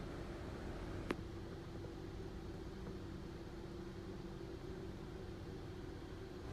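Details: Hyundai Tucson (push-start) idling steadily after a new starter motor was fitted to cure a no-start with a warning light on the dash; even low hum, no knocks, misses or squeals, and no dash warnings now.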